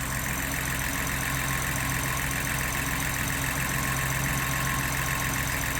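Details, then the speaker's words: 2022 Ford Bronco Badlands 2.7L EcoBoost at cold-start high idle in a garage, hood open: fast light ticking from injectors and high-pressure fuel pump over faint transmission whir; normal. "so you can hear a little bit of whirling coming from the transmission and you can also hear that loud ticking we were talking about and some of that's the injectors and some of that is actually the uh high pressure fuel pump"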